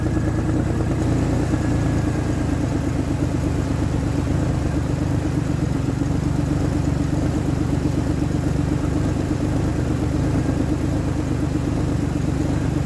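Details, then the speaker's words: 2003 Ford Explorer that failed inspection for a misfire, after a replacement coil was fitted: even, steady idle hum with no stumble, running smoother than before. "it's running smoother than it was and once I once I put some pressure on it goes right out I like it"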